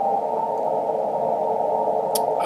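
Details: Amateur radio receiver on the 80 and 40 meter bands: a steady, loud rushing hiss with man-made noise near S9 swamping most signals.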